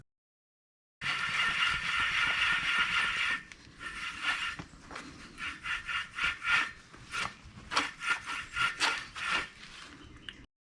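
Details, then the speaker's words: 2009 Subaru Outback front wheel bearing, removed and turned by hand: dry gritty rasp in short uneven bursts; rollers and bearing surfaces severely degraded, caused a loud droning while driving; worn wheel bearing. "the bearing surfaces and rollers have severely degraded it's just a matter of a short time before this causes mechanical damage to the surrounding related components"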